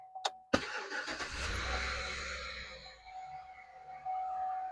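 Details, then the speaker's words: 2012 Chevy Tahoe 5.3 flex fuel starts and idles with a harsh grinding rasp and thin steady whine; stethoscope confirmed a worn belt tensioner, replaced with serpentine belt. "I can already hear it. Sounds like a grinding noise. All righty. So, not a very pleasant noise."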